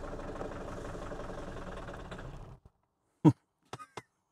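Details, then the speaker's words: Mini Paceman, first start attempt: the engine catches and runs unevenly for a couple of seconds, won't rev, then dies, followed by a few isolated clicks. Brief run then stall. "that was shortlived uh it wouldn't rev it's clicking okay it it's trying to Rev"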